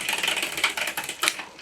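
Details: Bicycle rear derailleur after replacing the shift cable and adjusting, shifting up and down through gears 1 to 6: crisp, quick ratcheting clicks as the chain steps cleanly across the cogs, with no grinding or hesitation, normal shifting.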